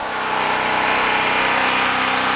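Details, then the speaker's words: Harbor Freight Predator 4375/3500 W generator, 6.5 HP 212cc, with a fridge plugged in as light load: steady rattly single-cylinder drone thickens and firms slightly, noticeable change but not much louder; normal governor response, no miss. "a definite change when you plug something in here I want you to hear that in the video but for the most part not much louder at all"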